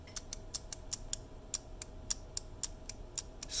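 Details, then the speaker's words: 3D-printed prototype key switch with a magnet added and increased tolerances for less pre-travel: crisp even bright clicks three to four per second, clicky yet slightly less loud; normal. "more clicky but i increase the tolerances on this so that there's less motion be like pre-travel and that might have made it slightly less loud on the click but it feels fantastic"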